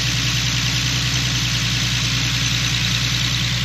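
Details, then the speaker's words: Infiniti G37 with VQ37 V6, idling after new knock sensors and sub harness: even, quick exhaust pulse at steady idle with no tapping or misses; owner says everything seems to be working okay and the intakes look good. Normal idle. "yeah everything seems like it's working okay intakes look good"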